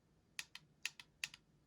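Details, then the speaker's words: iPhone 7 Plus home button: three sharp, loud double clicks, one per press, caused by a loose taptic engine with a screw missing inside (hardware fault, not software). "hi everyone today i'm going to show you another quick video about why the the home button on iphone 7 or 7 plus this is a 7 plus making loud noise"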